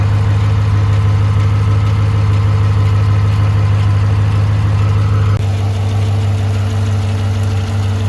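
Steady V8 idle with a light, quick tick riding over it at roughly three per second; lifter or cam noise, source unconfirmed.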